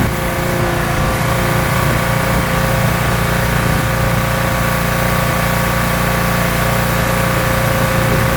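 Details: Pressure washer small engine, owner's first rebuild two years earlier, manifold still leaking (taped), running under pump load while washing car: steady even drone, constant pump load, no misses or knocks; runs really well.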